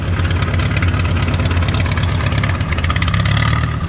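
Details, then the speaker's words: International Harvester B275 diesel tractor, very cold, after bleeding the fuel system: the idle clatter keeps surging and sagging instead of holding steady. It improves as the engine warms; the owner suspects the diaphragm, and possibly the injection pump. "it it's kind of hunting still um so that's been the issue that I've been fighting it seems like it gets better the more it warms up but right now it's cold as all get out"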